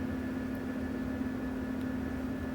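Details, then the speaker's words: U-Start starter capacitor recharging after a 300-400 A load: steady buzzing tone with a faint higher whistle over hiss, radio interference from its charge controller that disappears once fully charged. "yup and soon as it fully charges itself this noise will disappear"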